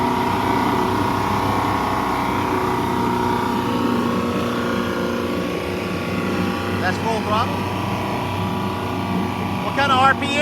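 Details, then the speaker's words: 200 hp Yamaha inline outboard after cylinder head rebuild (intake valves had leaked compression), run in gear on a stationary load test at full throttle: loud steady drone, slight cavitation, plenty of power, healthy. "Just cavitating the problem. Looks like it's got plenty of power."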